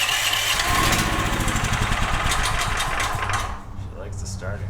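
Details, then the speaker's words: DuroMax XP13000HXT tri-fuel generator in gasoline mode, choked: fires and runs rough about three seconds on starting fluid, then dies; runs only on starting fluid, gasoline fuel delivery fault, carburetor jet suspected. "okay so she definitely likes a starting fluid but I'm starting to wonder about this fuel that's in the so we weren't getting fuel flow"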